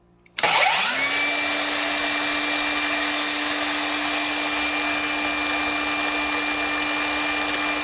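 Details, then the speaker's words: Ridgid 18V cordless miter saw R48607 spins up to a steady high whine with a harsh, gritty rasp; oil leaking from the arbor bearing causes grinding and rattling, and more oil dumps from the shroud once the noise starts. "you can hear that terrible grinding sound and then also after you start hearing that noise it dumps more oil out of the shroud"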